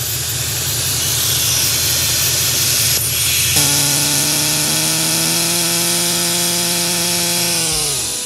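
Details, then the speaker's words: Porsche Panamera V engine with 60+ fault codes after an engine oil top-up, hot at idle: a loud hiss over an uneven idle that sags and nearly dies within seconds; a failed, torn oil separator valve. It runs fine cold and stumbles when hot. "차량 은 차가울 때 는 괜찮지만 , 뜨거워진 상태 에서 주행 하면 심각한 불안정 현상 이 발생 합니다 . 앞서 보셨듯이 , 제 가 진단 하는 과정 에서 시스템 이 거의 멈출 뻔 한 적도 있었습니다 ."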